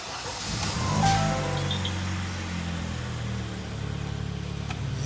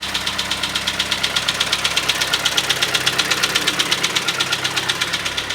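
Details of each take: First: 2012 Kia Sportage G4KD, 133,000 km, after cylinder sleeving and full rebuild for severe piston knock in winter frost: starts, flares, settles to smooth even quiet idle with no knock; slightly loud exhaust, no catalytic converter. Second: 2012 pre-facelift Kia Sportage with G4KD engine at 133,000 km, knock began in winter frosts: hard rapid metallic knocking about eight blows a second in time with idle; piston slap against the cylinder wall.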